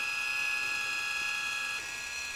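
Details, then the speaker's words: Motor driving a 3D-printed timing pulley lifting a 5 lb weight on a carriage: steady high whine with faint gear buzz, working a little harder, pitch dipping slightly; pulling normally. "hear the motor working a little bit harder but it's pulling that 5B up weight"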